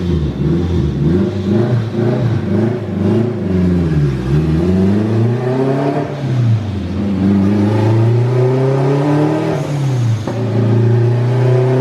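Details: Acura RSX with a boost problem on the dyno, mixture rich around 11.0 AFR; boost and wastegate duty are raised and the climbing turbo whistle under boost suddenly breaks off and falls away as the turbocharger fails.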